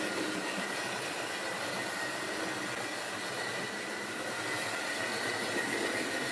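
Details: Wrenn West Country class model loco Lyme Regis, not run since the 80s, after joints greased and reassembly: even high-pitched motor whir with light rail clatter at steady speed; runs smoothly after service.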